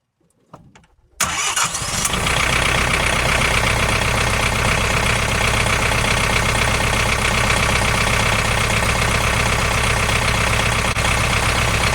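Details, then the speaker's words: Tractor after a hydraulic repair (it hit a stump), glow plug warmed, started to check for leaks: brief cranking, then it catches and settles into a steady, even diesel idle with no misses. Healthy start, no leaks found. "So let's start it up and see if we have any leaks. The glow plug's warm."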